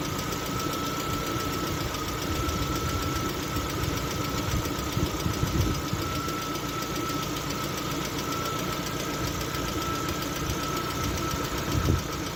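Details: Lada Vesta at 45,000 km idling with a light, fast hydraulic lifter ticking and faint whine; oil pressure measured jumping, caused by a torn oil pickup seal ring.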